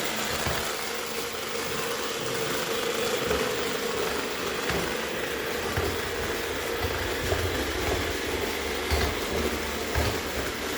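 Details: iRobot robot vacuum: harsh gritty grinding over a steady mid-pitched motor hum, something in brush or drive rubbing; grinding noise.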